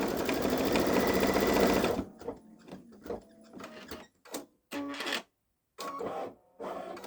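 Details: Baby Lock Solaris embroidering a Christmas train design on a sweatshirt with medium-weight cutaway stabilizer: rapid even stitching then stop-start bursts with a thin squeak; source unknown, owner wonders about trying a different embroidery foot.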